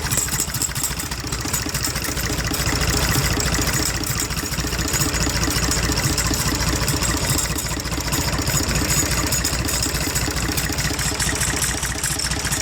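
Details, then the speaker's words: International Harvester IH 484 mechanical diesel, with the hood and air filter removed: an uneven, lumpy idle with a recurring stumble. Injection lines are cracked one by one to find the missing cylinder. Rough idle with misfire. "So we're going to start it back up, crack injection lines until we find our miss, which that's, no, they're 11/16, which is right there."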